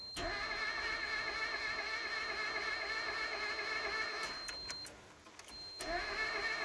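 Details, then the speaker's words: Project winter beater cranks with steady quick starter churn, about four turns a second, but never fires; owner believes head gasket is blown. "Pretty sure head gasket's completely gone."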